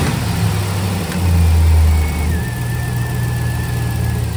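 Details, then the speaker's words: 2006 Chevy Silverado with a used 5.3L V8 just installed, transmission not yet connected, battery possibly low: an even low rumble that swells with a light rev and settles, with no ticks or knocks; oil pressure and voltage good, no unusual noises. "it's yeah seems to be good I don't hear any unusual noises"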